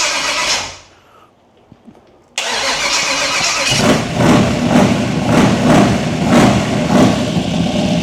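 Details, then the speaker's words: Small block Chevy 350 V8 with Turbo 350 in a 1923 T-bucket hot rod, baffles in the exhaust, fuel filter just reprimed; cranks and catches, steady, even, throaty lope, healthy running. "so this is what it sounds like with the baffles in it so not too bad"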